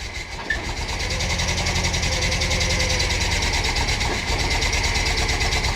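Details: VW Bus with a freshly installed 1600 flat-four, first start in the bus: loud, fast, uneven idle with a faint hiss on top; owner suspects an intake leak causing the rough idle.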